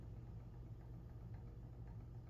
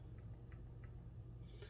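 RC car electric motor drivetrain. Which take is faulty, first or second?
second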